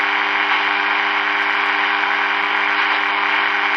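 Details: Early-1950s HMV Little Nipper Mark II valve radio with 6X5 rectifier, freshly powered up: steady low hum under constant hiss, no station audible, because the dead local oscillator isn't running.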